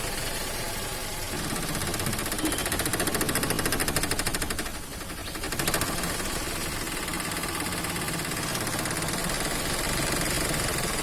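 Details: Toyota Axio petrol engine with electronic throttle body, unstable idle: fast even patter swells, sags and recovers; rpm problems, weak pickup, AC problems and stalling, caused by a dirty throttle body (butterfly) needing cleaning.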